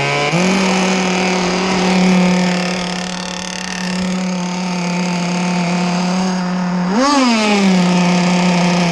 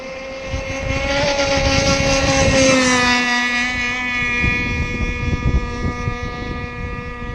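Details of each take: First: Small two-stroke gas engine in a ZippKits Vbox RC boat, warming up on a cold morning of about 65°F: steady buzz, one quick throttle blip (not full speed) and a clean return to idle; normal warm-up revving. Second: ZippKits Vbox RC gas-powered boat at speed: a steady high wail, a little soft and burbly at the top end. The engine is probably running slightly rich and could be leaned out for more speed.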